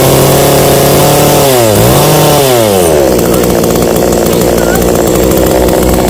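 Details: New, unboxed Kratingdam (Black Bull) TOP 6000 two-stroke chainsaw with a new air filter, longer conrod and 45.2 mm two-ring piston. It blips up and down sharply, then holds a steady high scream with no misses or rattles; normal running.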